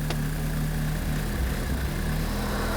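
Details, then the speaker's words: Hurricane-damaged VW MK5 GTI started after sitting for an unknown time: smooth, even low rumble with no misses, knocks or hunting, a healthy idle right after starting. "Let's do it. Moment of truth. She's alive! Like it was meant to be."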